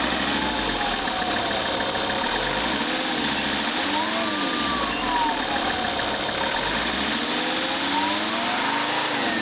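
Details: Lancia Thesis 2.4 JTD diesel, warm after about 30 minutes and 25 km of driving: steady idle with a faint whine wavering in pitch above the engine note; cause not yet found.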